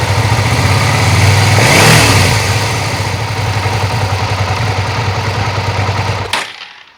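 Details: Suzuki SV650 V-twin at idle and a brief rev: quick, fairly even top-end ticking about three to four per second. It doesn't sound like the usual cam chain tensioner noise, and the engine runs fine. Owner suspects one valve is out of adjustment (loose).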